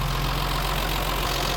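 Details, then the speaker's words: BMW 325i E30, M20 engine, cold idle just after its first valve clearance adjustment to factory values: quick light tappet ticking over the engine hum; idle also higher. Owner finds the valvetrain noisy. "bon j'ai l'impression que ça fait pas mal de bruit quand même"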